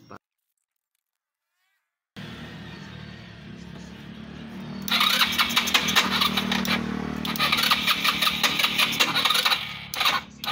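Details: Motorstar Easy Ride 150 that had no idle, high then dying idle and heavy fuel use, after auto choke fix and covering the air hole: quiet, then the single catches and settles into a steady idle with brief blips, no hunting.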